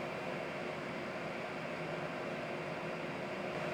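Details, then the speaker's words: Licitti AC Battery Box 1000 W inverter delivering 966 W: steady even airy hiss with no rattle, tick or wobble; normal, quiet cooling fans under heavy load. "And a couple feet away, we are 10 decibels lower at just over 50 decibels. So that's actually a pretty nice, quiet white noise."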